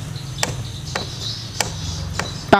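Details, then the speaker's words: Soul GT automatic scooter clacking at the rear gearbox when throttled: pulley shaft rocked by hand, a few sharp separate clacks about a second apart; gear-ratio spacing not tight enough, worn gearbox bearing play. "biasa yang kayak gini itu jarak seel antara gear gear rasio itu dia kurang rapat"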